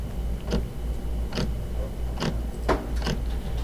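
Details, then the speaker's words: Orion DPL xx16G telescope azimuth slew motor at rate 2: soft whir with sharp click in either direction, unlike silent elevation motor; causes non-smooth azimuth tracking. "you can physically hear the click in the housing when you slew the motor in either direction so i'm going to put it on rate 2 and then i'm going to let you listen to the click as the motor turns"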